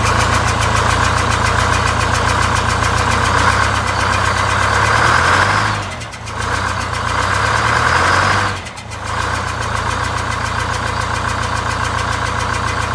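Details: Greyhound Scenicruiser bus diesel with automatic transmission, one bad cylinder bypassed, after exhaust and muffler repair: uneven idle lope around 3–4 beats per second with two brief sags; dead cylinder, running on seven of eight.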